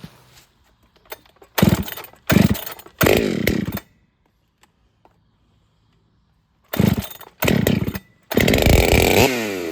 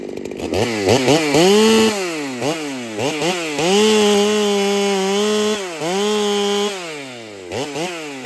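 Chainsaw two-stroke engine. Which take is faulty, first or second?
second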